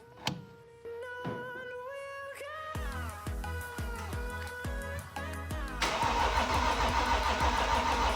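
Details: BMW X5 M50d diesel after engine rebuild and reinstall: first start after reconnecting a loose glow plug module plug (module had shown no communication). Music, about three seconds of steady cranking, then catches and settles into an even diesel idle; normal.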